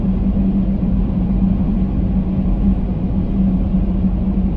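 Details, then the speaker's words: LFD Off Road crossbars, at 70 mph in stormy, windy weather, microphone at the driver's position: a steady low drone around 200 Hz over the road rumble. Consistent roof crossbar wind hum, clearly noticeable. "now that's 70 and it's uh it's actually really starting to hum right now"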